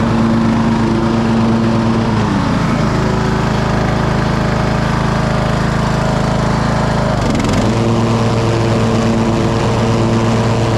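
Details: 2008 Husqvarna LTH1538 lawn tractor, mower deck engaged: engine dips twice as the blades take load, then recovers smoothly with no grinding. The blades were not seized; they needed engaging twice, then spun and sound good.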